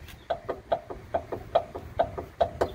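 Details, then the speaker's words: Car on newly lowered BC Racing coilovers, driving: sharp high squeak repeating about twice a second over low rumble, first suspected trunk or spring perch, traced to rear shock mounting point; rear shock mount squeak. "cuz we were thinking it was the trunk or maybe the spring perch now we know it's uh just an insertion point for the rear shock"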